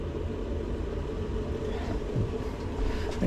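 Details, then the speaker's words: 2015 boiler, 11 years old, with E125 poor-circulation and E131 faults, firing on hot water. Steady low rumble and hum. Suspected blockage in the main heat exchanger, with a plate heat exchanger issue causing constant pressure build-up. "It did just fire up, but the pump was making an awful squealing noise. That's definitely circulating. Just doesn't sound too healthy, does it? Actually sounds like it's coming from the heat exchanger."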